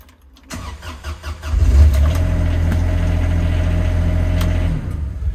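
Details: Diesel machine with a keypad immobilizer started after the password gives a green light: brief crank, then it catches cleanly into a steady, even idle; healthy start.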